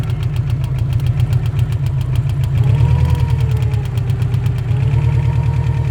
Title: стук на холодную